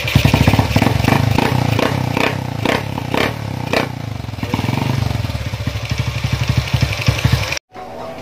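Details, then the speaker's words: Honda CB with PWK 30mm carburetor, after fixing hesitation on throttle by adjusting jets and pilot: crisp throttle blips rising and falling cleanly, then steady even idle; carburetion now healthy. "untuk lamsamnya sudah bagus ya dan juga gas-gasannya udah enak untuk lamsamnya sudah mantap juga untuk gas-gasannya"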